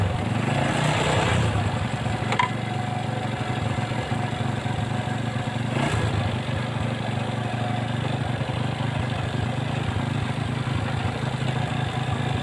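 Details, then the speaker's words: Honda Revo fuel-injected single-cylinder motorcycle after repair of a ticking (ngeletek) noise: smooth, even idle with steady low beat, no ticking or rattle; result is smooth. "Oke untuk suaranya halus ya hasilnya halus"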